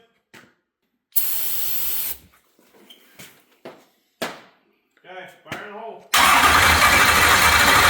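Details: New stroker LS V8, first start after crank sensor wiring: the starter churns in short bursts, then the engine catches with a loud, ragged roar; a misfire from a dead cylinder, because a pushrod is off its lifter.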